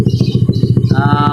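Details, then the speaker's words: Honda Beat FI scooter with a damaged crankshaft that wouldn't kick-start, after a pulley/CVT fix; the engine fires at once on the kick start and settles into a quick, even putter of about ten pulses a second. The kick starter now engages. Normal kick-start and idle. "Oke, coba dihidupkan. Nah, sip. Selaannya aman, nyangkut, berarti"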